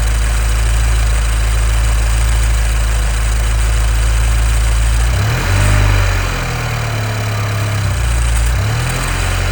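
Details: 2015 Nissan Juke Nismo RS, 112,000 miles, at idle: a fast, even rattling hiss of about four beats a second over the engine, first mistaken for a vacuum leak; the car drives well, and a timing chain issue is suspected.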